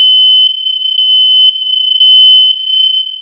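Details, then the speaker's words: Hardwired interconnected (inline) smoke detector in a house under remodel, so all units sound together when one goes off: a loud, piercing high-pitched tone pulsing steadily in a quiet room; working properly. "so no matter where in this house you add if the smoke detector goes off all of them goes off"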